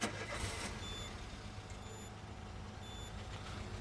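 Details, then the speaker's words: 2005 Peugeot 206 (1.4 per title, called 1.6) with codes P0204, P0300 and P1336, restarted after clearing codes: uneven, lumpy idle with an irregular stumble, still rough; one injector is not heard clicking, so an injector fault is suspected. "so you can hear it's still a bit rough at the moment i'll keep my all right i'll have a listen so i still cannot hear that injector so to me it's like an injector issue"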